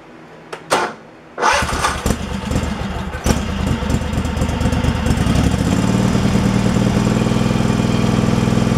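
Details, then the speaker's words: Craftsman Pro mower that had been surging and running rough, after fitting a new carburetor and a 4.5 mm gasket spacer to fix the linkage: a few pulls, then a steady, even run with no hunting or surging; normal running. "it sounds like it's running pretty smooth where it's at so all right it's not surging"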